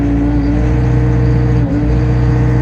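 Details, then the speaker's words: Takeuchi TB260 mini excavator with Yanmar 4TNV diesel: a steady high drone that sags and stumbles under load while the alarm sounds, unable to hold revs. Bogging down from a fuel-related problem. "Soon as I put load machine revs up and you can hear the alarm machine is not happy. It's not maintaining idle. It bolts down. I have to tell you this is a fuel related issue just basing that."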